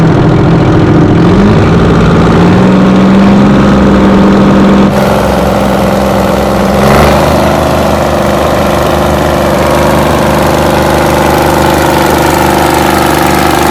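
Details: 60-year-old Massey Ferguson 98 tractor with Detroit Diesel GM 3-71 two-stroke after restoration: steady, even drone picking up cleanly as it revs and settling back, no knocks or misses; healthy.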